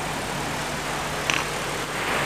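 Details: Electrolux 12 kg twin-tub washer whose spin-dryer only hummed; after the spin capacitor was replaced, a steady, even whir over a low hum with no stalled buzzing shows the spin-dryer motor turning freely and healthy.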